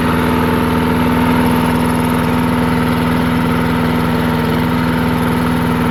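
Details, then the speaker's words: Murray 22-inch push mower, 5 hp Briggs flathead, unrun 20 years: after drilling out clogged carburetor passages, loud fast fairly even single-cylinder chatter with slight hunt in speed; runs good, slight surge noted. "there we go I think that's a success it's uh it runs good"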